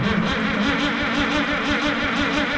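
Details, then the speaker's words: Minneapolis Moline G900 LP tractor that quit in the field, with a different coil just fitted: an even chugging crank at about 3.5 beats a second with a brief fire that won't run; battery running low, owner suspects a fuel problem. "least we got a fire that time now we don't have battery [Music] okay maybe we got a fuel problem h cuz she fired"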